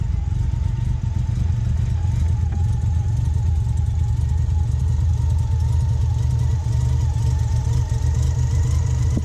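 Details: 1990 Mazda RX-7 FC turbo rotary after OMP delete and new intake gasket fixing a boost leak: deep steady hum with constant low drone, no hissing or stumbling; normal running.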